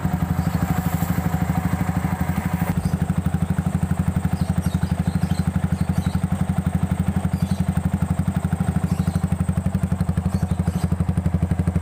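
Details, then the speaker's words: Yamaha Vixion after replacing the failed water pump seal, cylinder block and piston rings; the coolant had run dry and the block knocked before. Now an even, steady idle thrum, about four pulses a second, with no knock: normal running. "Ya, motor udah halus, pistonnya."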